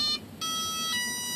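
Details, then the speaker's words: RC plane on a 2200 mAh 60C battery, with AS3X initializing at startup: a short high beep, a pause, then two longer tones, the second lower, as the speed controller arms normally. "We're going to let AS3X initiate. Go through the startup procedure."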